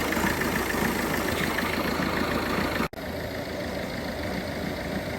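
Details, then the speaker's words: Peugeot 307 HDi common-rail diesel, hard to start and misfuelled with petrol: lumpy, irregular idle with no steady rhythm, low and erratic rail pressure and uneven injector corrections; rough running from petrol contaminating the diesel. "But have a listen to the way that engine's running. Not running too well."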